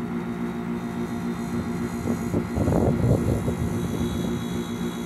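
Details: 24,000 BTU 220 V split air conditioner outdoor unit, compressor drawing about 8.29 A: even, steady low hum with no knocking or rattling; compressor running normally. Earlier start failure with strange noise is typically a capacitor problem.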